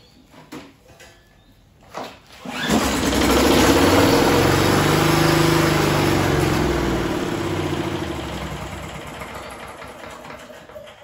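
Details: Free roadside-salvaged Talon 4-stroke walk-behind lawnmower with fuel tap on and primed: after a couple of pulls it starts and settles into a steady, even drone with no misses or knocks; engine runs fine, discarded only for a broken wheel.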